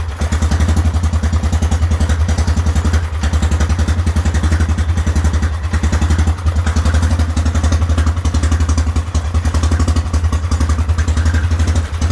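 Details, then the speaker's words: Whizzer small motorbike on a test ride after a new overdrive gear and pulley, clutch broken, shifting up from first: steady low drone under load with a fast even beat and wind rush, third gear working best; normal running. "third gear has been working the best but still works nonetheless downshift turnaround is per usual it's getting pretty good with shifting"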